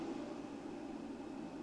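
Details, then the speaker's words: Vevor 6000 W 48 V solar hybrid inverter, just switched on with no load connected: soft even whoosh of cooling fan at constant base speed, no rattles; fan runs continuously, normal. "És nem tudom, hogy mennyire hallatszik, hogy egyből a ventilátor a alapjáraton be is indult."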